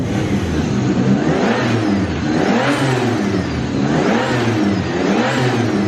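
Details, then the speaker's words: BMW E36 turbo M52 six, first start after fitting a new Pulsar G30 660 turbo, no filter yet, untuned. It catches cleanly and revs rise and fall smoothly with even firing; pressure good. Finding: normal start and rev. "Please don't cook yourself. Good start, power's there. Oh, pressure's good."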